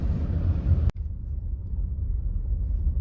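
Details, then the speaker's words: 2021 Maruti Baleno, about 12,000 km, test drive on rough cut road after fixing rear fuel tank area tuk-tuk knock; only low even road rumble, no rear knock now, normal ride. "കണ്ടോ ഇതേപോലെയുള്ള റോഡിലൂടെ പോകുമ്പോഴാണ് ആ sound ഉണ്ടായിരുന്നത് ഇപ്പൊ ആ sound കേൾക്കുന്നില്ല കേട്ടോ"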